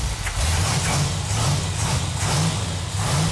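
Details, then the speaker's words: A12 Super Bee 440 Six Pack V8 (three two-barrel carbs) on an engine run stand, first start after loose fuel lines were tightened: a deep, steady fast-idle rumble with an even lope and no knocks or ticks; runs healthy. "It feels really good to hear that engine run. Yeah, feels good. That engine sounds so good."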